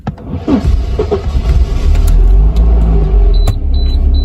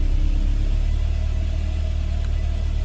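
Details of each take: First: Mercedes 190E (W201), M102 petrol engine, starting problem for about two months: on start it cranks and catches, revs briefly flare with a metallic noise, then drop quickly and settle at a slightly raised warm-up idle. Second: Mercedes 190E W201 with M102 engine, after battery replacement, tested after being left several days: engine catches and settles into deep even rumble with no stumble; normal start, starting fault fixed by new battery.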